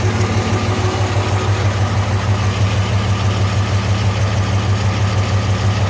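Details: 2005 Cummins diesel giving white smoke: idle with a steady lope, about three pulses a second and one cylinder dropping out; the number 3 exhaust manifold runs hotter, and injector #3 proved bad despite passing a test.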